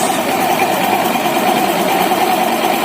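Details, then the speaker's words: Honda Vario 150 scooter after washing the front and rear pulleys and the stiffened CVT belt with water: even, steady drone with a mild hum, no rattle or grinding; the earlier rough CVT noise is gone. "Sedangkan untuk suaranya, berbeda dari sebelumnya. Awalnya terdengar kasar , tapi sekarang sudah halus."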